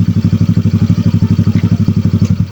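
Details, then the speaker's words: Motorcycle (scooter with CVT) idling with an Akrapovic pipe fitted. Steady, fast thumping idle with a light clatter from the side. The CVT has not been serviced in a long time despite high mileage. Owner suspects it needs CVT servicing and warm-up; cause not confirmed. "Tsaka kailangan na natin magpa-CVT. Kasi nga, tagal na, ilang odo na, hindi pa ako nakapa-CVT. Kaya ako napapansin nyo na medyo maingay yung gilid. Tapos may parang lagitik-lagitik."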